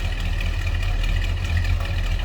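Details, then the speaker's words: 1968 Oldsmobile 442 convertible, 455 V8 (365 hp per previous owner), Turbo 400 automatic, at low idle: steady deep, even rumble with no knocks or misses; healthy V8. "Listen to that, 455. A little rumble to it."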